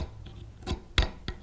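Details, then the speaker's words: Hand-carving a ball and claw foot with a number 8 gouge: sharp irregular knocks about every third of a second as the tool's back hits the wood and chatters at the ankle transition. The fix is switching to a 10 mm number 9 spoon gouge. "what's creating that is uh the back of the tool is hitting up at this point and uh we don't get a smooth transition into the ankle"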